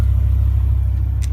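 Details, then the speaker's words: 2006 BMW M5 V10, 500 hp, 10,700 miles, oil just topped up: smooth, steady deep idle with even pulse and no misses; owner notes RPM sometimes wavers slightly right after first start-up. Normal idle. "you can hear idle is pretty smooth right now sometimes when you first start her up she uh will uh"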